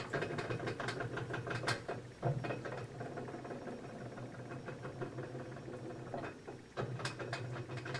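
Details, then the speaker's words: GE Infusor GTWN5050M0WS H.E. washer running an empty cycle: irregular bursts of metallic rattling and clunks like chains shaking as the drum moves back and forth; rattling noise, source unclear. "oh my god that sounds like [ __ ] rattling chains"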